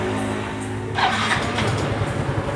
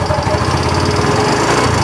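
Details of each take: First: Yamaha Mio M3 125 after new piston fitted (previously run out of oil, knocking from worn bore): engine catches and settles into even idle with smooth throttle blip, no knocking; now normal and more responsive. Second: Yamaha Mio M3 125 that earlier ran out of oil and now burns oil quickly, idling with the CVT removed: a rapid, dull ticking knock strongest at the front of the engine; piston suspected, possibly the con rod; teardown found a worn bushing leaving piston and liner loose, causing piston slap.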